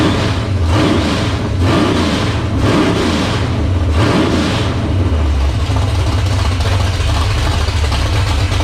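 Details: 1978 Dodge Warlock truck, 360 small-block stroker on first start: deep, even V8 burble with four quick clean throttle blips, then a smooth steady idle. Healthy, 75 psi oil pressure at idle from a high-volume pump and just over 80 revved.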